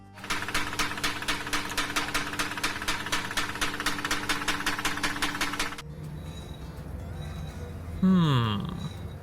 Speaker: This Chrysler 300 has some of the best knock-knock jokes the mechanics ever heard.